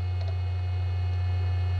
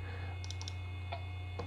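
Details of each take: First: 25-year-old SyQuest SparQ cartridge drive reading data over the parallel port, microphone right at the drive: strong low buzzing throb with a thin high whine above, much more vibration than a regular hard drive; possibly normal or a sign of imminent failure. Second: 25-year-old SyQuest SparQ 1 GB cartridge drive reading files: soft, scattered little clicks over a low steady hum, a short cluster then single ticks; heads seeking normally while reading.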